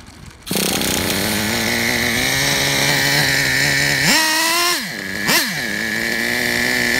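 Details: Traxxas Revo 3.3 nitro RC truck engine: steady, even buzzing idle with a clean high note; a quick throttle blip rises and settles smoothly. Engine healthy; transmission, stripped spur gear, starter motor and one-way bearing need replacing.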